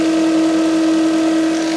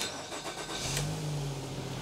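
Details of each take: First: 2010 Nissan X-Trail T31, 2.5 L engine, running, microphone placed on the alternator: steady piercing whine; worn alternator bearing; vehicle also had the battery not charging. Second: 2010 Nissan X-Trail T31 2.5 L after alternator work, which had a noise and no charging: fires and settles into a smooth, even idle with no whine or chirp; no battery light, 14.4 V charging.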